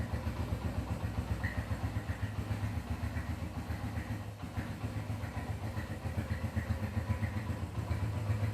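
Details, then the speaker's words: Honda CB100 K5 single-cylinder after engine and electrical refurbishment, started without throttle: a steady, even putter at idle with regular low pulses and no knocks or misses; normal idle. "sekarang kita Nyalakan mesinnya nih tidak usah digagas karena sudah nyala pernah"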